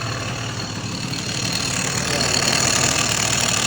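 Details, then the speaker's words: Yamaha TZR 250 3MA SP two-stroke idling: busy metallic clatter about four per second over hissy idle, normal dry clutch rattle that changes when clutch lever is pulled; a sign of the SP model. "Yan po yung tunog niya. Parang may takatak. Pero pag pinisil mo yung clutch niya, magbabago."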